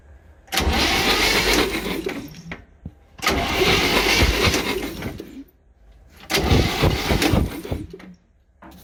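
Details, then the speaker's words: 1966 Chevy G10 van, ATF poured into the cylinders and one plug broken off: three cranking bursts of about two seconds each, spinning evenly but never firing. No spark is seen; dirty ignition points are suspected. "Not seeing any spark, so probably gonna have to get under that cap and look at the points and clean the points, but I thought it was worth a try."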